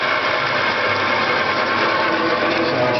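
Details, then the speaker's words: Electric-converted car in neutral, motor spinning the transmission and a belt-driven power steering pump: steady loud whirring hiss with faint squealing, mostly from the belt; owner plans to return to an electric pump. "you know we we get a little bit of noise uh coming from the motor itself and uh you know spinning the transmission but a lot of that noise and the squeaking and everything is coming from this belt"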